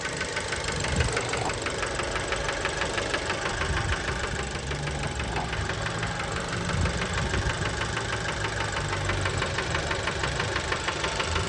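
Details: Fiat Bravo 2 1.4 T-Jet 150 HP at 215,000 km, after recent maintenance, close to engine: steady metallic knock about three per second at idle; worn rod bearings confirmed, car scrapped, cause unknown; rod knock.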